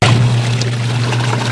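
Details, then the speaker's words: Noisy washing machine after its leaking gearbox was replaced, tested filled with water. A steady, low motor hum runs under the sloshing water with no grinding or knocking. The agitator drive runs quietly; no more noise. "Ayun, gumana na. Wala na siyang ingay."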